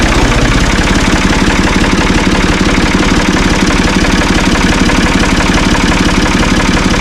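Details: Ford 445 diesel tractor, thought to be a 1970s model, bought at online auction: strong, even diesel idle with regular firing pulses around three per second and no knocks or misses; it starts and runs well.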